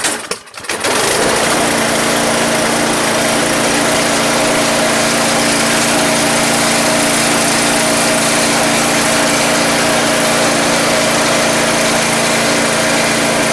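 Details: Troy Bilt 2410 snow blower in for no-start condition, first start with cowling loose: small single-cylinder engine catches within a second, settles into steady even buzzing run, no misses or knocks. Normal running.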